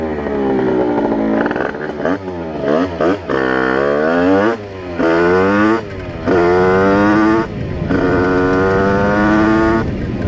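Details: Test ride of a Rieju RR moped with tuned 80/85cc brand-new cylinder on 4% oil mix, carburetor still being set up (needle changed, 148 main jet): crisp two-stroke note climbing cleanly through gears, no bogging, stutter or popping; running well.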